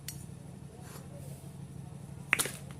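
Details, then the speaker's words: Hero Splendor Plus cylinder head off the bike, valve guide check done by hand without tools: a finger is held tight over the valve, then released. A sharp suction pop means the guide is good; no pop would mean the guide needs replacing. "ये आवाज़ आएगी तो वाल guide सही है, नहीं तो वाल गाइड ख़राब है, उसको वाल गाइड को चेंज करा दे।"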